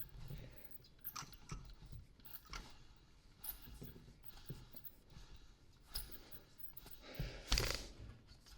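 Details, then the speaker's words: Alternator overrunning clutch pulley, with a battery warning light on, turned by hand with a small screwdriver: squeaks and irregular gritty crunches and clicks; it turns one way but is restricted when it should be much freer, so the one-way clutch is worn. "And can you hear that squeak? So it is moving in freely in one direction but it is restricted. That should be much freer than that."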